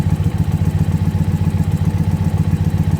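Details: Warmed-up Indian Pursuit V-twin idling during a vacuum-gauge throttle body sync check: even, loping beat at about 220 pulses a minute, deep and steady with no knocks or misses; healthy warm idle.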